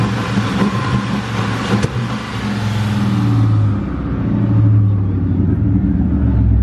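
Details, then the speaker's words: 1999 Mustang GT with Mark VIII / Cobra swap at the drag strip: uneven, lumpy V8 idle with stumble and choppy exhaust, breaking up hard; P0320 code, injector or spark suspected, not confirmed. "it is breaking up hard it sounds like smart blowing so we'll figure it out"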